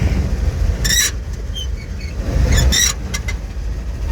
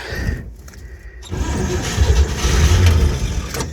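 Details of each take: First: Old petrol flatbed truck, first start, fed gas through the carburetor on a hot battery, runs with a deep, steady rumble and even beat, no knocks or misses; normal running. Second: Old flatbed tow truck, cold, with gas poured down the carburetor and a hot battery: the starter churns steadily at three to four turns a second but never fires, because the choke wasn't pulled.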